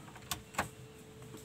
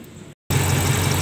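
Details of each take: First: Toyota Kijang after repairing emission control module with resoldered components: engine fires and revs about two seconds, then dies as soon as throttle is released, cannot idle; module likely still faulty. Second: Toyota Kijang after its emission control module was serviced, with a test lamp on the solenoid wire: the engine settles into a steady, even idle with no misses, and the lamp stays lit at idle. Normal idle.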